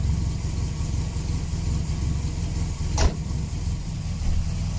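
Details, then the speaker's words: 1979 Volvo 240 idling after fitting an exhaust taken from another 240, before sealing the manifold: rough, uneven low chuffing pulse at each firing; massive exhaust leak at the manifold. "uh it's running a little bit weird though uh there's definitely a massive exhaust leak at the manifold so maybe i'll go and try and seal that up"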